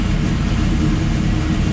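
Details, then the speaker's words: 1969 Camaro with custom EFI conversion, first start after replacing a failed Aeromotive 11569 in-tank fuel pump; steady, deep rumble holding an even beat without stumbles or misses, idling cleanly. "so we're gonna go to power up i hear the pump let's see if it'll start beautiful"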